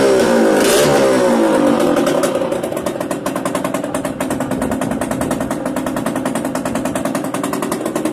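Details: Yamaha DTR 125 two-stroke, engine from a 2007 electric-start bike, first start after new unrestricted Gilera SC CDI, new seals, powervalve fully open, 240 main jet, Big One exhaust; crisp ringing rev dropping to steady even popping idle, normal idle and revving.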